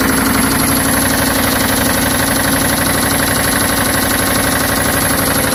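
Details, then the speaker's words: 1990 Chevy Silverado V8 with about 7,000 miles on the engine, loud regular bottom-end knock over rough running and lost power; owner suspects the oil pump failed or oil ran low, not confirmed. "I think my oil pump went out, and maybe I was running low on oil for some reason, and the truck started knocking, losing power and everything."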